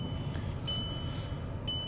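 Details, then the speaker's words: Thin high chime over a quiet cabin hum that cuts out and returns while driving a newly bought budget used car; an intermittent seat belt warning chime, cause not confirmed. "oh man, that is going to drive me nuts. I'm hoping when we actually get on the motorway that will actually go off"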